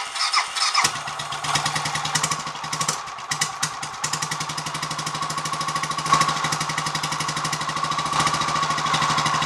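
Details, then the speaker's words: Royal Enfield 500 Machismo electric start single cranking after repair (spindle refitted correctly, 20W-50 replacing ATF), choke on, cold; catches and settles into even steady idle, no starter clatter. "I hope I'm not being biased but I think that sounds a bit better already let see what happens when it warms up a bit and gets a bit more oil flung around the choke is still on at the moment"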